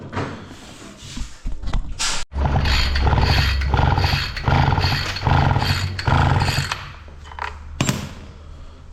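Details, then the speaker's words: Husqvarna 553 RBX brush cutter, previously overhauled, that quit while mowing: repeated starter pulls give short, deep whirs that never catch; a spark check shows only a very tiny, insufficient spark, blamed on a faulty ignition coil. "Evet ışığı kapattım çok çok küçük bir kıvılcım yapıyor yeterli değil"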